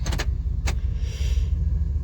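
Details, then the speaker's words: 1996 Chevrolet Suburban C1500 with a 4L60E, formerly in limp mode, after replacing the solenoids, pressure plate and wiring harness: steady idle with a firm clunk and an RPM drop as it goes into reverse and drive. Normal gear engagement. "before you hear that clunk you got a clunk you can watch the rpm drop too"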